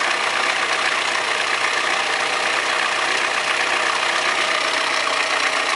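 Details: Audi 100 2.0 16V petrol idling with a steady, busy metallic rattle over a thin, trebly running sound; owner suspects bad lifters or rod bearing; engine rattle at idle.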